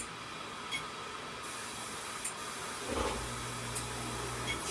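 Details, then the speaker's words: Electrolux washer (ELFW7537AW1) in diagnostic mode, knob turned to the fill step: steady rushing water hiss with a low hum joining; inlet valve opens cleanly. Normal water fill. "Now you're on diagnostic. So from here, each time you're turning the knob, it fills with water."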